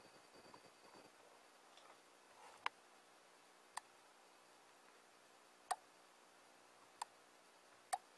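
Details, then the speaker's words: Arduino with Ethernet shield switching a relay through an NPN transistor, microphone held close to the relay: single sharp, crisp clicks a second or more apart as the coil pulls the contacts in; normal relay operation. "c'est c'est un petit bruit très net c'est caractéristique d'un relais c'est quand la la self aimante l'interrupteur donc qui qui vient se coller qui vient coller les contacts ça fait un petit cloc"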